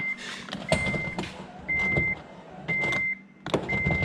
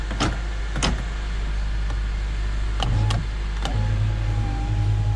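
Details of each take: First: Honda Element window switched with key on: four short bursts of steady high motor whine but glass doesn't move and no end thunk; motor runs, window regulator failed, replacement ordered. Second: 2008 Honda Element door after replacing the failed window motor (regulator): steady low motor hum for about three seconds, clean stop, no grinding or clicking; window works normally after repair.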